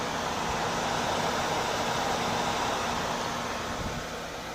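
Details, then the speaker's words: Replacement Corsair HX750 PSU under gaming load with a quiet WindForce GTX 950 graphics card: constant loud airy whoosh with a faint steady hum; the power supply fan runs at 100% while gaming, a faulty unit that was later replaced. "uh this is a wind Force 37950 this is very quiet video card that noise you're hearing is the the power supply"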